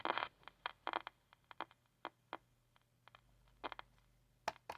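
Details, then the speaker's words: 1960s Channel Master 6528A AM transistor radio: irregular sharp crackles and scratchy bursts over faint hum as the set is rocked; moisture corrosion and tin whiskers in the tuning capacitor from beach use. "That's unfortunate. That's oftentimes what happens when the set's been in an environment that's really got a lot of moisture. This was definitely one of those. This was a beach machine, so the corrosion gets inside."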